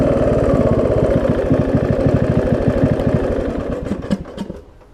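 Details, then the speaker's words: John Deere D110 mower, test run after an engine rebuild with a new head gasket: even low chuffing, about three pulses a second, then it runs down at switch-off with nothing knocking. The owner wonders about a valve-cover leak or residue burning off. "whoa i said seems to run good oh"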